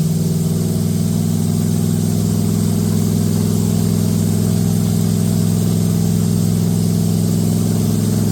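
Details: Date-coded 1969 383 HP Super Commando V8 in a 1969 Plymouth Road Runner, swapped from a Barracuda, with good oil pressure and no tach: steady, even fast idle with a deep drone and no ticking or clatter. Healthy run.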